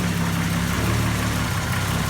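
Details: CM Valiant at idle after its carburettor came back refurbished and everything was reassembled: an even, steady idle with a smooth low beat, quieter than before, with no puffing or ticking from the manifold. Sounds healthy.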